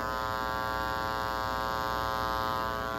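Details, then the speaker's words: Church sound system: steady low buzz with a faint rough edge through the speakers; mains hum because the sound system shares electrical circuits with outlets and lighting instead of a dedicated circuit. "Porque é que tem que ser circuito independente, elétrica do som independente da elétrica de tomadas comuns e iluminação? Por isso."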